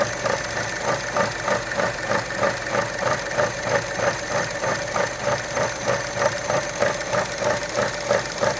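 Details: 2012 Chevy Cruze Gen1 1.4 idling with dipstick out, after spraying oil from dipstick tube on long highway drive; uneven, stumbling idle pulsing about three times a second; owner suspects failed PCV check valve or valve cover seal; rough idle.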